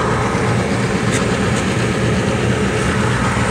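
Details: Carrier furnace just fitted with a new inducer motor assembly after the old one was left half-removed: steady low hum, even unchanging drone, no rattles or squeals; inducer runs quietly and normally.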